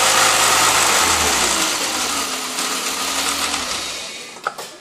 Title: Wierd Ticking Noise with Revving